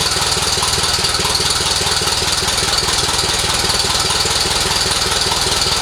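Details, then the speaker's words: 1948 Silver King tractor old four-cylinder after engine reassembly and radiator repairs: steady even chuff at low idle, about two and a half beats a second, runs smoothly until apparently running out of fuel; normal running. "Think We R out of fuel but sounds good all right well there we go guys we got her up and running again tested her out it sounded pretty good"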